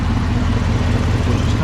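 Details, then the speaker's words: 2018 Camaro ZL1, supercharged LT4 V8, new long-tube headers with header gasket exhaust leak fixed, slightly warmed up: deep steady idle rumble, faint light clicking from injectors, no exhaust tick; healthy but loud. "yeah that's the sound at idle we let it warm up a little bit give it a few little revs it is abnoxious just crazy"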